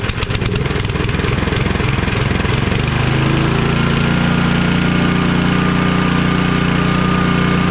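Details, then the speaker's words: Cub Cadet 2X 24 IP snowblower with an MTD Powermore 243cc IntelliPower engine, after being drained and cleaned; it catches after a few rough turns, then settles into a steady, even run at constant speed. Normal running. "now we've got this thing back up and going with virtually zero money zero time just a quick easy process to get this thing drained cleaned and back into working order"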